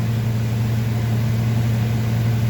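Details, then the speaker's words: 2005 Ford F250 6.8L Triton V10 3-valve, 599,000 miles, won't accelerate, code P0354: deep uneven idle with shaky lumpy beat, camera on steering wheel; cylinder misfire traced to a faulty ignition coil connector. "definitely got a miss i set the camera on the steering wheel there she's got a little bit of shaky shake"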